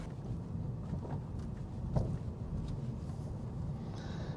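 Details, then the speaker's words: 2023 Subaru BRZ with newly installed aftermarket coilovers, after an attempted fix on one side, rolling out of the garage: dull single clunks over a low rumble at crawling speed; suspension clunk persists, install error or factory-defective coilover suspected. "I literally just went out of the garage and it clunked let me try that again there's the clunk I don't even have to drive down to the freaking shops"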